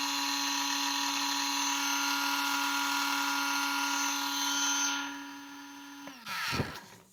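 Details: Custom TP 2150 kV brushless RC drag motor, about a month old and run about three times, tested with no load before a bearing change; a steady high whine holding an even pitch, then winding down smoothly, measuring about 2102 kV at 3.3 amps.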